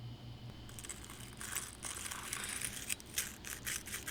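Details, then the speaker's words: Front hub and wheel bearing on a rear-wheel-drive Nissan, wheel, brakes, rotor and dust cap removed, hub turned by hand: dry gritty crunching grind from a bearing with play, shot; replaced with new OEM Nissan hub and bearing assembly. "You hear that like kind of grinding? That means that the bearing itself is shot."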